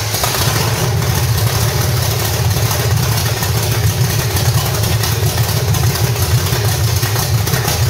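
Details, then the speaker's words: 1985 stepside with cammed V8 (reportedly 400 hp Corvette motor), headers and roller rockers, gummed-up carburetor, just fired up: loud open-exhaust idle, deep steady rumble with slight cam lope, no knocks; healthy. "definitely sounds good you can definitely hear a little bump in the cam and uh sounds pretty healt"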